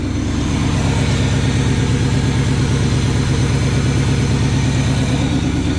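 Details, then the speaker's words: 1980 Chevy K20 4x4 V8 with freshly rebuilt QuadraJet carburetor and new fuel filters, warming up after first start: steady, even raised idle with regular low pulse, no misses; idle too high, vacuum leaks to be checked, idle circuits tuned later with vacuum gauge. "Let me check for some vacuum leaks and mess with that a little bit. Later on, we'll tune this carburetor properly, the idle circuits with a vacuum gauge."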